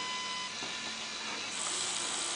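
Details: Light, even whir from the small motor and gear train of a fischertechnik pneumatic robotic arm, no catching or rattling; the little gearbox runs smoothly, normal running.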